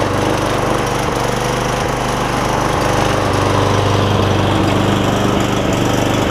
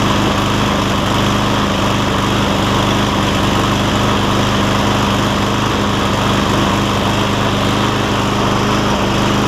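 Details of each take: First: Cub Cadet SR621 push mower with a Kawasaki single-cylinder engine, just after carburetor replacement and not run in a while, no blade fitted: runs at a steady, even speed with a smooth constant beat and no misses. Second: Cub Cadet SR621 Kawasaki mower after a carburetor replacement: steady drone with an unsteady, hunting beat while warming up. Takes 30–60 seconds to find its rhythm, then runs well.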